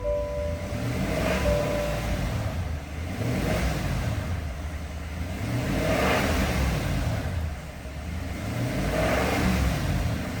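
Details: GM 6.2L V8 truck failing while driving: revs swell and drop every few seconds with uneven, labouring roughness under acceleration and loss of power; engine failure, cause not evident.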